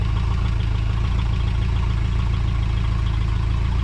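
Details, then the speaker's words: 1973 Mercruiser 120 hp engine at full temperature, idling with the valve cover off, shows a faint, quick metallic clicking from a rocker backed off for running valve adjustment, too much lash. "okay in order to adjust it while it's running and you Ed that full temperature you back it off until you hear it click he that clicking"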